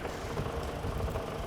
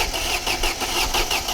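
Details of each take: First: Old Mercedes-Benz W124 revived after long standing: steady, even low idle with no misses, knocks or hunting; the engine runs smoothly. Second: 1995 Mercedes-Benz W124, old car being revived: steady cranking at about five pulses a second with no firing; no spark found, with the crankshaft position sensor, already replaced once, suspected.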